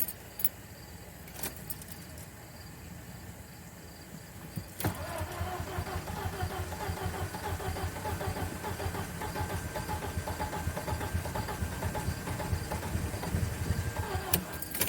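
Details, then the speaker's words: VW B5 Passat after ignition harness pigtails were spliced in, not run for a while: quiet cranking, then it catches at about five seconds and settles into a steady, even idle with no misfire, no longer smelling lean; normal start. "It's trying. Ooh. Smooth. Look at that. Smooth."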